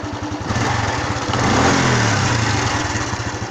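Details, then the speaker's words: Honda Wave 110i that would not start, after new genuine fuel pump fitted; even, quick single-cylinder putter at idle with no stumbling or misses, running cleanly. "ผมบ่มีสะดุดครับดีครับเดินเบาครับครับ"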